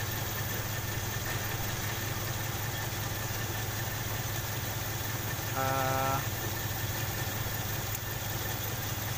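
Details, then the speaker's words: Toyota Kijang 5K/7K engine at idle: lumpy, uneven stumbling beat; pulling the cylinder 1 plug lead barely changes it, so that cylinder is dead (misfire). "Bisa kencang item ya alurnya agak pincang nih"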